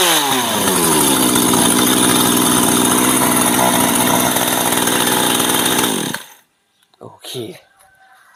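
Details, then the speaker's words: Two-stroke chainsaw stored over a year, running after a dead spark plug was swapped for a spare: fast, steady idle with chain audibly whirring along the bar, then shut off; chain turning at idle is dangerous; clutch/sprocket set needs repair. "ตัวนี้เดี๋ยวจะมาหาสาเหตุที่โซ่มันวิ่งนะครับเวลาเดินเบาครับเดี๋ยวคลิปหน้าครับเดี๋ยวรอชมว่ามันเป็นอะไรทำไมโซ่ไม่หยุดหุนนะครับ"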